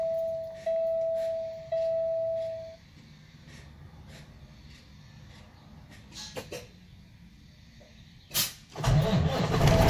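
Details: Cummins ISX truck diesel after turbo and actuator replacement, calibration and coolant refill: a few chime beeps and a pause, then it cranks and catches cleanly. The start is normal.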